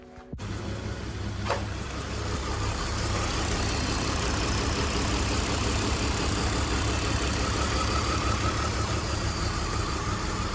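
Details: E46 BMW 325xi with code P1349, cylinder 4 misfire and fuel cut-off. Steady petrol idle with a slightly uneven loping beat about three per second. Coil, plug and ignition wiring all show spark; low compression was found.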